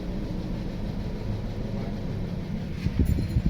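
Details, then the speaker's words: 2016 Toyota Corolla Grande 1.8 four-cylinder, misfiring and stalling in gear: lumpy uneven idle that doesn't change when cylinder 2 is cut via scanner, so cylinder 2 is dead; cylinder misfire at idle. "ये देखिए आपके सामने बहुत मिसिंग कर रही है, यानी कि दूसरा सिलेंडर हमने कट ऑफ कर दिया।"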